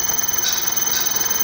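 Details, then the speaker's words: Hyundai HB20 1.0 three-cylinder engine running: steady, piercing high-pitched whine coming from the water pump, a worn bearing; water pump replacement is the usual fix. "barulho irritante esse barulho é proveniente aqui da bomba d'água pessoal"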